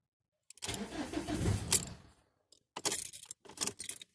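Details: Ford Mondeo Mk4 1.8 TDCi diesel, hard starting when cold: long ragged cranking with uneven bursts, then repeated stop-start attempts that never catch cleanly; cause not identified.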